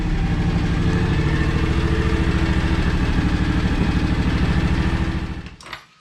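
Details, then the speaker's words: 15+ year old John Deere X729 lawn tractor after service: steady even fast chugging with no stumbles, then clean shutdown; burning much better than before. "it's burning a lot better than it did"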